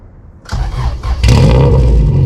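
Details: Honda CRX LSVTEC starting and idling on its canister muffler: a loud, coarse, raspy drone at idle. It was loud on the freeway, and the owner suspects a broken canister baffle.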